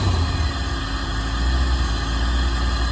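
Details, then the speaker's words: 1987 Corvette C4 automatic after a no-start; spark verified, relay checked, apparently started once fuel pressure built plus a jump start: steady, deep, even idle with no misses or stumbles; normal idle. "car is on okay maybe you just need a little jump start"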